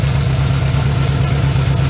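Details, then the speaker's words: 1980 Honda GL1100 Goldwing, during carb synchronization after a carb overhaul, adjusting a sync screw counterclockwise: low, steady idle with an even, quick pulse and no stumbles or misses. Carbs nearly balanced and running more smoothly. "And you can even hear that the motor is running a little bit more smoothly now."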